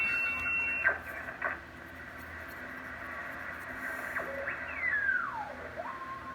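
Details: Drake TR4 transceiver (serial 81037, noise blanker) tuning AM stations on 40 meters: a high whistle slides down in pitch over steady hiss and static; tuning is off, owner suspects a dislodged rod, receiver squeal unconfirmed.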